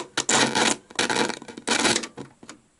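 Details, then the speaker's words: Panasonic SG-J500L radio cassette record player, first power-up after years in storage: loud scratchy crackle bursts through the speaker each time a switch is pressed, then quiet hiss, low volume; owner suspects dirty switches. "now that was a bit noisy wasn't it okay so i think we've got a bit of a problem with dirty switches here hence why it's not going very loud"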